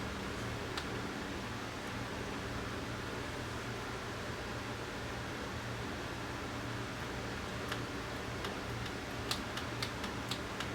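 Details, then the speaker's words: Pioneer VSX-522 AV receiver, dead with only standby power, after shorted parts were found and disconnected: steady hiss and low hum, then sharp relay clicks as it powers on; display out but no shutdown. "it's turning on I hear a relay clicking and I'll be a display on the front here"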